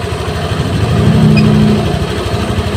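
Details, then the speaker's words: Honda Vario 150 injected scooter restarted after scanner work: steady, slightly fast warm-up idle with even low burble and no stumbles; running normally. "kita hidupkan kita hidupan lagi teman-eman langsamnya dia enak terdengar enak ya terdengar enak ya tema"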